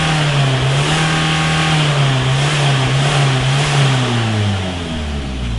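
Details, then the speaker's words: Mitsubishi Carisma diesel overfilled by a few litres of engine oil by mistake: the engine screams at sustained high revs on its own in a diesel runaway, with the exhaust still attached. "Dieses Auto ist ein wenig Lauter geworden. Ist scheinbar aber original, weil Auspuff ist ja noch dran ne ;P Nein, heute geht es um einen Diesel Runaway"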